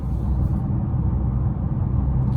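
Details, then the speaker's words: 2014 Chevrolet Impala at about 60 mph after new tires were fitted: even low tire and road rumble with no rhythmic throbbing or wobble; the earlier noise is no longer heard and it rides much better. "I think that might have solved our problem, y'all. Cause I'm definitely not hearing it, and I'm going what? 60. It's riding much better."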